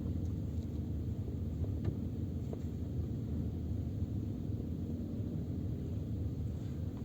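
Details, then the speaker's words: Peugeot 407 rolling slowly in first gear, phone on rear parcel shelf, after wrapping rear seatback lock loops with electrical tape: only soft low road rumble, no rattle from rear seatbacks; interior rattle cured. "едем по той же дороге только в обратном направлении катимся на первой передаче тишина"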